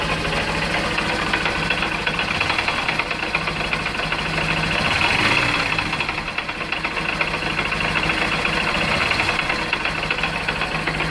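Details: 2013 Honda CBF 125 motorcycle, 15,000 miles, oil level fine: fast uneven knock two to three times a second at idle; cause found as a hairline crack in the ring gear around the clutch basket, a recalled issue.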